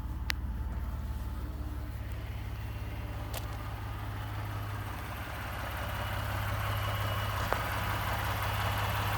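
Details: 2018 Ford F-150 with 2nd-gen 3.5 EcoBoost V6, 29K miles, at idle; steady low idle with a light, fairly even rattle and knock about three per second, source undetermined (owner mentions cam phaser startup rattle).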